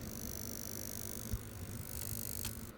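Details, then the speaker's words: IBM PS/1 2133 (486SX) power supply after repair, machine off so supply unloaded: thin steady high-pitched coil whine over faint hum that vanishes under load when switched on; marginal supply component suspected, unconfirmed. "So, with some load, that coil noise just disappears. And as soon as I turn the machine off, it starts to make that noise again."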